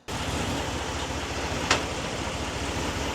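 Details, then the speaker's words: 2021 Ram 1500 Limited, 8-speed ZF automatic with 3.92 gears, at idle: a single sharp clunk and jolt when shifted into drive; it also clunks into reverse or park and slams when cold. Harsh engagement blamed on transmission adaptations, reset and relearned with AlfaOBD. "So when you shift into drive, the whole vehicle will clunk and jolt and move forward. You guys will know what I mean. I'll show you guys a demo. And when you shift into reverse or park, it'll clunk."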